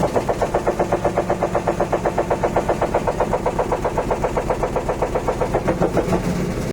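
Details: Electrolux LT10B washing machine during the spin cycle: heavy, loud rhythmic thumping about four times a second, steady throughout, banging hard each drum revolution; cause suspected, not confirmed.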